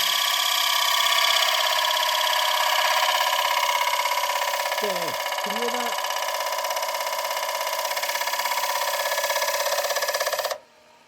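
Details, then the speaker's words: Woodturning lathe at about 989 rpm cutting a thin-walled bowl: a steady, piercing chatter pulses about three times a second as the thin wall bounces against the tool, leaving torn grain and visible waves despite the cut looking clean. "can hear that bouncing okay you can hear that bouncing now it looks like it's a clean cup but it's not I'm getting torn grain there"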